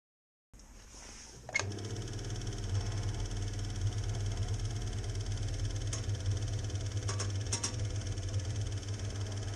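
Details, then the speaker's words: 1975 Elna Lotus sewing machine after repairing the flat spot on its motor drive roller: the motor spins up after a click and settles into a smooth, even hum; the earlier grunting noise is gone. "voilà ce problème la règle elle ne fait plus ce bruit horrible quand elle tourne"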